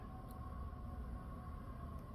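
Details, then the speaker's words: Newly self-replaced central-air HVAC blower motor on first start in cool mode, reportedly in learning mode cycling on and off: quiet, steady constant-pitch hum with low rumble, no wobble or rattle; normal blower running. "oh yes it's blowing it blows so it's learning itself now it will go on and off uh during this learning period allegedly"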